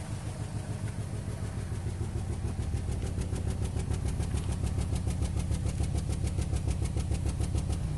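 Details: 2008 Nissan Rogue with check engine light and code P0300, rough idle, worse driving in low gear: steady metallic ticking rattle about 3.5 per second over uneven idle; misfire suspected, cause unconfirmed.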